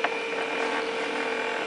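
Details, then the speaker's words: Compumotor C stepper motor bench-tested on 24 V drive with 9 V 500 mA logic supply, placed on table: steady mid-pitched whine and even hum, no grinding or skipping; normal smooth running. "I putting on the table to you hear the noise of the turning"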